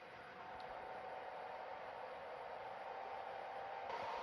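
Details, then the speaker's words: Secondhand PS4 Pro: a steady airy roar that creeps louder, no clicks or grinding, like a jet engine; the cooling fan works hard against a dust-packed heat sink. "for us we need to get it running so while this is blasting here like a jet engine"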